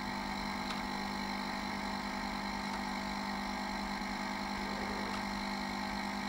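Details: 1987 Sinclair ZX Spectrum 128k +2 on AA batteries, supply lowered to 6.5 V toward its 6.4 V cutout (normally 9 V): steady harsh buzz with constant low hum and faint periodic ticks; undervoltage audio buzz before shutdown.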